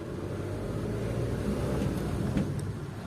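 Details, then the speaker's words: 2001 Nissan AD, 2.2 YD22D diesel, 260,000 km, manual: metallic knock after start in summer fades after 5–10 minutes and reappears under throttle load; injectors suspected. Here, driving gently in first gear, a steady drone with no knock. Runs evenly. "вот спустя какое-то время движение на первой передаче тихонечко чтобы не напрягать тему стук проходит все нормально работает ровно лишних звуков нету"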